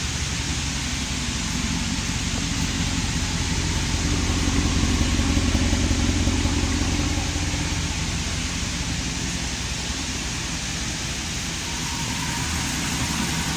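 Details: 5.7-litre engine after successful repair of a cold-start clicking noise; idles with a steady, even low rumble, no clicking standing out, normal idle.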